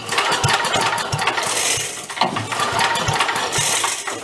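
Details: 54-year-old abandoned Mite-e-Lite generator, fuelled, governor holding full throttle: rattling pull-cord strokes with brief uneven pops that never catch; seems to lack compression. No start from low compression.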